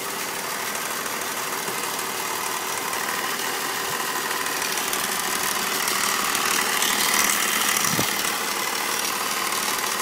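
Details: BMW Z4 with M54 engine, ticking at idle that just started: a light quick tick, about three per second, over a hissy running sound.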